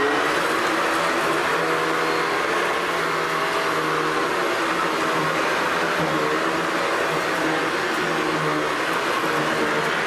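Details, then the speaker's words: Hoover Decade 800 upright vacuum running with a steady, even motor roar and fan rush after fixing vibration: brushroll issue found, bushing and main bearing oiled, metal fan from an older Convertible fitted; much smoother than before. "oh okay definitely a lot better than before so there we have it Hoover decade 800"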